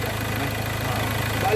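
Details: Ford Ranger that would not start and showed no check engine light: steady, even idle with a regular low pulse and no misses or stumbles; normal idle.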